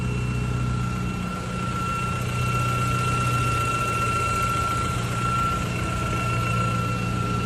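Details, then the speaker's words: BMW 320 turbo at idle with the check-engine light on: a steady high-pitched whistle over the engine. It is a vacuum leak from the torn crankcase breather (PCV) diaphragm membrane. "Então pessoal barulho de assobio na BMW 320"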